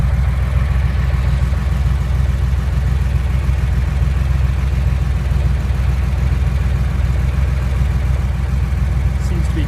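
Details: Porsche 911 flat-six at steady deep idle with a loose, uneven tapping under the exhaust note; a knock inside the engine, cause not yet pinned down.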